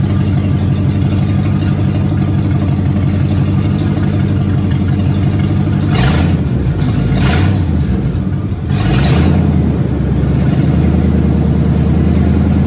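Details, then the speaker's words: Car revved on its first run since 2019 after a new fuel pump, tank cleaning, new starter and about 2 gallons of fuel: even idle and clean, smooth throttle blips, running normally. Brakes still need work. "First time and since 2019 that anyone knows of that that car ran or alone moved on its own power."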